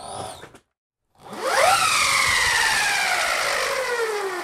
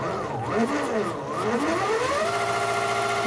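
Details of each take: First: Go-kart motor on a VESC controller switched from FOC to BLDC mode: loud whine climbs sharply in pitch as the motor spins up, then sags and fades; BLDC mode is noisier but starts better, though torque is still lacking. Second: Giant LEGO go-kart motor rated to about 50 V, controlled via receiver and Spektrum DX7 transmitter: smooth electric whine rising and falling with throttle, no rattles or grinding; quiet, smooth normal run.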